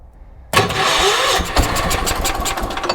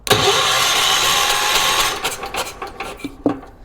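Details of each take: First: 1980s ORVCO Transtrack UTV, first start with fuel sprinkled into the carburetor and the choke on: a sudden catch after silence, then an uneven, rough chuffing run as it keeps going on more choke. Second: 1980s ORVCO Transtrack UTV after cleaning corroded points: a loud, harsh starter whirs for about two seconds and the engine never catches, with no sparking at the points. The starter motor is very noisy.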